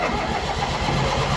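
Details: 1990s Murray riding mower sat about six to seven years, given as non-runner, new battery fitted, clutch in and parking brake on; quick even cranking with steady starter whirr; starter and solenoid working, normal cranking.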